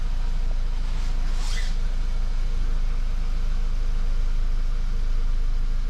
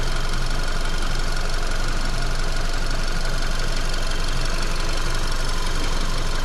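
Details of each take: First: VW Golf Mk5, 50,000 km, after a rattle that began after a fuel filter change was fixed by cable-tying the fuel hoses moving inside the frame: a steady low engine rumble with no rattle. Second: VW Golf Mk5 with 50,000 km after a shop fuel filter change: steady engine hum around 1500 rpm with a fast, even rattle from inside the right side, caused by the fuel line rattling against the body frame; fixed with zip ties.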